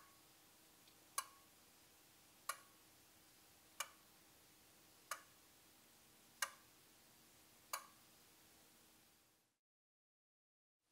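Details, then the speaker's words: Ford 6.0 Powerstroke diesel no-start diagnosis, key-on injector buzz test: six crisp, evenly spaced clicks about every 1.3 seconds, then silence; all eight injectors cycling normally, a healthy buzz test. "So I'm going to show a quick clip here of what that sounds like and what a healthy buzz test should be like."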